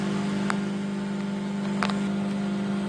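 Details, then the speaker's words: Microwave test run after repair, heating water: even, steady low hum with fan noise, no clicks or crackling; magnetron and high-voltage transformer heating normally, water came out hot. "Yes guys, so you can hear the microwave run. Fan spin and everything."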